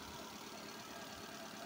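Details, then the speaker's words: Hyundai Santro, 5-speed manual, idling with the AC running: quiet, smooth idle with an even, steady hum and no knocks, ticks or extra noise; engine sounds healthy. "ক'তো এটা extra noise নাই। সকলোবিলাক running হৈ আছে, AC running, এটা"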